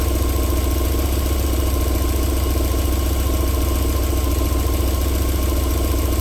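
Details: 1994 Alfa Romeo 3.0 24v QV V6, cold start-up settling into a smooth, even idle with a steady low hum and no knocking; a normal idle, with knocking returning after about 4 minutes.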